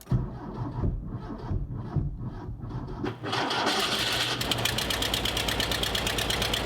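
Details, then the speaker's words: Porsche 914 2.0 after new muffler installed: starter grinds, engine catches, then a loud, choppy idle with uneven exhaust beat; idles better than before but still rough, tune-up planned, throttle response good. "Still sounds like a potato launcher. I can tell you just by in the driveway it idles better."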